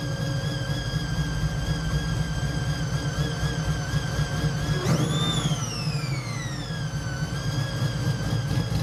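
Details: Chevy Nova pro touring build with a supercharged V8 on a cog-drive blower, dyno tuned; a deep steady rumble with a clean whine that climbs on a blip and eases back. Normal supercharged idle.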